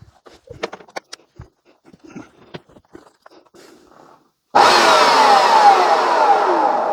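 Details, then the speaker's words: Vax Dual Power W86-DP-b carpet washer after drive belt replacement, brief test spin: after a quiet stretch, steady rushing whir and smooth even brush hum, no slipping or squeal; brushes now turning, normal running. "Right, well that's obviously a success. This is now working. Okay, the brushes are now turning."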